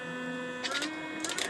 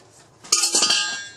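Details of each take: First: Teddy Varimixer W5A after the power cord, which intermittently cut power, was replaced with a tight-fitting connector; steady motor hum with an even tone and brief clatter, running without cutting out: normal running. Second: Teddy Varimixer W5A mixer on the bench, which had a locking issue; moving the switch gives a short burst of light metallic clinking, a small loose ball rattling inside the switch housing, and the switch doesn't work.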